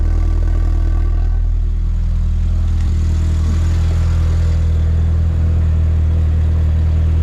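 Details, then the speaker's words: MK4 VW GTI 1.8T, engine cold at idle before repair: deep even rumble with soft rapid puffing about four times a second from the cracked mid-pipe resonator; said to sound far worse when hot. "let me show you all what this sounds like running right now with the cracked exhaust and everything"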